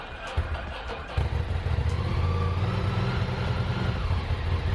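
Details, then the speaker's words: Ducati Monster 800 V-twin, revived after 4 years dormant with new fuel pump and battery, on a cold day: deep, steady burble with even lope and no knocks or rattles; normal healthy idle. "That's the way it should sound."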